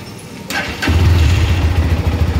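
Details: GPX Demon motorcycle, after replacing a broken spring inside the start switch housing that caused no-start: quiet click, engine catches first try and settles into a low, steady, even idle; normal start and idle.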